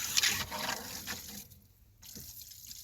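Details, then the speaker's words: Repaired PVC/PEX plumbing after freeze damage, pressurized at 60 psi from a pump with pressure switch, glue dried about 3 minutes: valve opened to a house, steady hiss and trickle of flowing water, no banging; flow normal, pipes hold. "We're going to come over here and turn this one on to this house. You can hear the water flowing."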